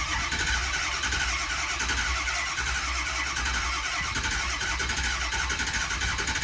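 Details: Ford 6.0 Powerstroke diesel whose glow plugs appear not to work; possibly weak injectors. Starting fluid sprayed on the filter gets it to crank and catch roughly into an uneven, clattery run, then it sounds better.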